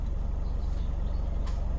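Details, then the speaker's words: 2015 Isuzu D-Max diesel at idle: even low pulse, then a short click and clunk as the transfer case shifts from two high into four high, normal engagement; 4WD light faults traced to broken neutral position sensor wires. "you hear it click and clunk it's in full High the light stays solid but then starts flashing again"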